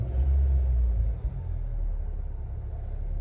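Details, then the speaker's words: Hyundai i10, heard from the cabin after an engine noise repair (water pump or alternator suspected): low, steady idle rumble with no knocking, whining or clatter. "कुछ ऐसा sound है तो कुछ ऐसा sound है गाड़ी का आप देख लीजिए"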